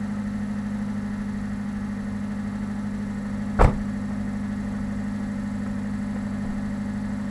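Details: 1991 Subaru Sambar Dias2 AWD supercharged fuel-injected kei van at idle after 5–10 minutes of warm-up: steady even low hum with no knocks, misses or hunting, one click midway; normal healthy idle.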